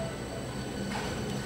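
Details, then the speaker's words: Pump at about 25–30 Hz flowing about 50 gallons per minute, no bubbles in sight glass: even steady rushing flow with low hum, no crackling; running cleanly without cavitation. "you can see in the sight glass no bubbles it's actually um doing a really nice job"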